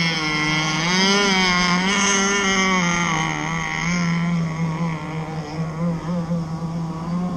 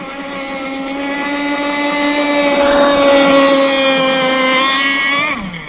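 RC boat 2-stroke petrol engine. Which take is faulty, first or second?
first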